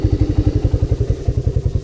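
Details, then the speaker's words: Honda Big Red ATC250ES after carb and intake cleaning and fresh stabilized fuel with Sea Foam; crisp, even thumping of about twelve beats a second with no misses or clatter, running smoothly and healthy. "It's running beautifully. Let it run itself out of gas. Yeah, I couldn't be happier with it."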